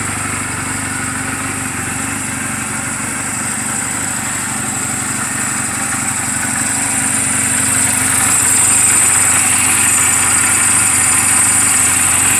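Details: Reference sound of a healthy 2007 Honda Rebel 250 and its valves, idling in neutral just after an oil change and valve clearance adjustment; even, steady putter with no ticks or misses. Mechanically sound, only cosmetic flaws. Normal idle.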